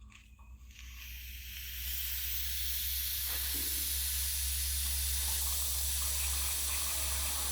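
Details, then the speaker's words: Viessmann heating radiator not warming and gurgling, bleed valve opened: steady airy hiss builds as only air escapes, no water; suspected low system pressure and missing water. "das heißt es entweicht sondern auch ein wenig luft aber es kommt kein keine flüssigkeit dann besteht die vermutung dass der druck in dem system zu gering ist und vor allem dass auch wasser fehlt"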